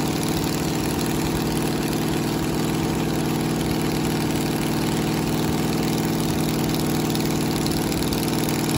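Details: 1969 Camaro 396 big block Chevy V8 idling after a new cam and new lifters replaced a worn cam lobe behind a weak number seven cylinder. Steady, even idle, smooth low rumble, no ticking or tapping; quiet, healthy valvetrain.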